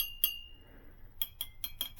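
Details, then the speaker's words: Model T engine rebuild, tap ring test on the clutch drum: crisp metal taps, the first ringing clearly for most of a second, with no dead cracked thump; the drum is sound and the clutch is judged okay. "When you have something that is not cracked and it's made out of metal, it will ring like a bell."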